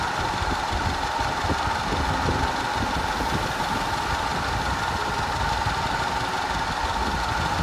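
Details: 2010 Audi A5 Cabriolet 2.0 TFSI at idle with codes P0304, P0300 and P130A: an uneven idle with an irregular stumble and shake, from a random misfire plus a constant cylinder 4 misfire.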